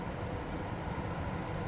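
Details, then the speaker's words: Lennox home AC air handler whose breaker trips once cooling is switched on (later fixed with a new condenser relay and 3 A breaker); blower fan alone running with an even, steady air rush and low hum, no rattles; the blower works. "So at least I hear the blower fan running. That's a positive."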